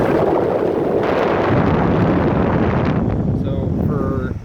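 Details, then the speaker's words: 2015 Ford Expedition A/C-heater blower after fix: steady even rush of air, fan spinning smoothly with no buzz or rattle; blower had quit, repaired free by closing gaps on the blower sensor connectors for a good connection, no parts replaced. "It was a quick, easy fix. It was for free, and all we did was make sure that that had a good connection to it, and then it started working again."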